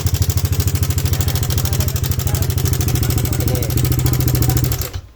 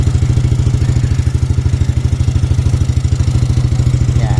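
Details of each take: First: Yamaha NMAX version 2 scooter engine idling with a loud, fast metallic clatter on the beat from a faulty cam chain tensioner. If not the tensioner, the head must be opened to check camshaft bearing or rocker arm bearing. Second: Yamaha NMAX v2 scooter at closed-throttle idle, after the noisy-engine complaint was traced to the tensioner and fixed: a steady, even low thrum with no ticking or rattle.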